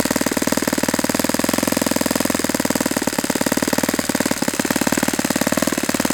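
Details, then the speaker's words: Saito FA-91S four-stroke model engine idling near or below its roughly 2300 rpm target after the pinch test: fast, even popping beat with slight rise and fall, no misses; healthy idle with good transition. "That might be a little bit lower than it really wants to sit at, but I like the idle. This is a good sound."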